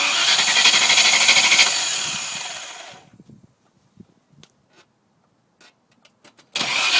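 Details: V8 engine no-start: the starter spins the engine at a steady cranking rhythm for three seconds, then stops with no firing. It cranks but won't catch.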